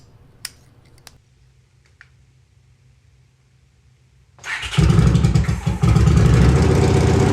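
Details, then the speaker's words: Honda GL500/CX500 V-twin, first run on newly made custom stepped unequal-length headers with no mufflers: after a quiet start it fires into a harsh, blatting bark, far too loud. Mufflers are planned. "okay that's pretty loud oh my God"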